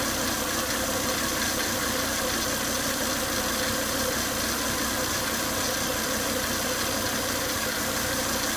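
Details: Volvo S80 2.5T, warm idle after 10–20 minutes running: steady high whine and hiss over a faint engine beat; engine also shows high crankcase vacuum at the oil cap and coolant boiling; cause unclear.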